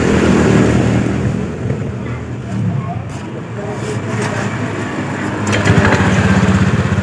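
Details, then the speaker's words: 2018 Honda Scoopy with CVT-area noise when throttled at low rpm; rear wheel creeps on its own and power is low. Low, uneven rattle and shudder from the drive case as throttle opens at low revs; likely worn CVT clutch shoes. "Hai jadi lebih tepat suaranya saat RPM bawah saat kita tarik tuas gas sekaligus kita gerak itu ada suara betah jadi ada suara Getaran ini bagian area blok CVT"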